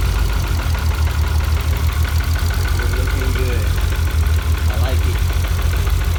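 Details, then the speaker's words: Car with a modified twin-pump fuel system, after overly high fuel pressure was corrected: a deep idle with an uneven, lumpy beat and stumbles. Engine misfire at idle, traced to debris clogging an injector. "I fixed that and then now it's misfiring and all sorts of stuff"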